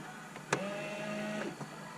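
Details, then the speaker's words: Low-mileage Merkur XR4Ti barn find sitting at least 10 years: about a second of steady electric hum from the rear wiper motor with no sweep of the arm; motor powered but stalled, rear wiper doesn't work. "Nothing happens, but you can hear the rear wiper juice trying to do stuff."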